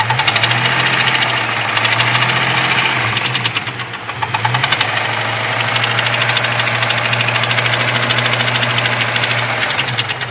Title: Jeep 4.0 knocking noise hot engine.